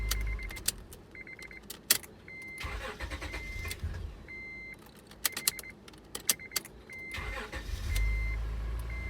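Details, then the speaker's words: 2004 Acura TL after ignition switch replacement, car has been sitting with low fuel: key clicks and door chime beeps, then engine catches and settles into steady even run, no buzzing; clean start. "so as you can see in that last clip it starts up fine second time i think i want to go start it kind of like stalled out the car has been sitting um and there's load fuel in it too so that doesn't help"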